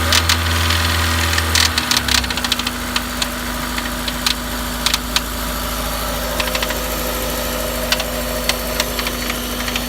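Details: Honda S2000 F20C petrol four-cylinder at idle with sharp, light ticking or knocking over the hum, cause unknown; new OEM Honda timing chain tensioner fitted, rod bearings OK, thrust bearing within OEM spec, head, cams and retainers OK.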